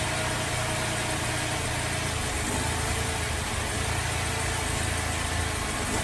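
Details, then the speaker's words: Holden VZ Adventra Alloytec V6 running very rough at idle with an uneven, lumpy rumble; coils were unplugged one at a time, and a failed number 5 ignition coil pack was found causing the misfire. "It's running very rough and we'll disconnect a coil at a time and see which one we think is bad."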